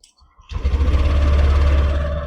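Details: Petrol engine started after fuel pump test showing about 40 PSI steady: short crank, catches quickly and settles into an even, deep idle with no hesitation.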